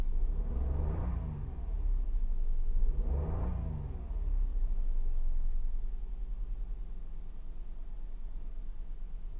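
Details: Toyota Wigo after ignition coil replacement for a misfire: two quick throttle blips, then a low, even idle with no missing beat.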